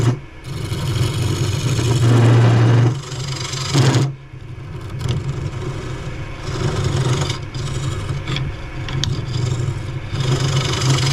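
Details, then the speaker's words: Cheap benchtop wood lathe turning a chestnut oak bowl: motor drone sags and surges as the gouge bites, with rough grinding and shaking; the underpowered lathe bogs and vibrates, loosening the chuck. "Yep, this whole shaking thing in this lathe can be irritating, to say the least, and all the noise it makes."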